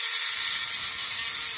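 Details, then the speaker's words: 1997–2005 windshield washer pump motor, removed and bench-tested on 12 volts after being freed up: thin, high, even whir with no stumbling or grinding; motor now spins freely and works. "The motor, I reckon it, free it up, and now it's working. So I'm going to test it, show you guys now that it's working. So you can hear it's working now."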